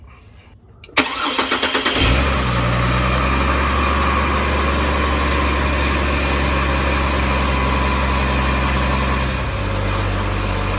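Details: 2004 Chevrolet Trailblazer inline-6 after replacing fuel filter previously installed backwards, system primed: brief crank, catches quickly and settles into smooth, even idle; healthy start, no misfire.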